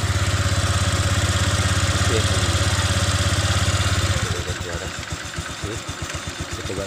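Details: Honda Vario 125 LED scooter after CVT repair for lack of power and rough CVT noise: steady drone dropping into even regular pulses as revs change, clean at low and mid revs, no rattle or grind from the belt drive.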